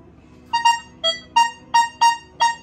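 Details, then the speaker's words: Metal detector (any Nocta or Equinox works the same) set to 4-tone mode; a silver target gives seven identical short, clear mid-pitched beeps. Fake and genuine silver sound the same, and copper shares this non-ferrous tone. "Okey, yang ni bunyi dia. Untuk silver, sekejap, sama tak tadi? Sama je. Fake dengan original pun bunyi sama."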